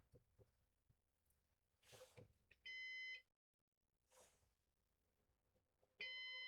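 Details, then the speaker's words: Used Synology DS418 NAS during initial web setup: two short flat electronic beeps about three seconds apart in a quiet room; cause unknown, possibly because it is in setup mode. "I don't know why it's beeping, but Sounds like a heartbeat."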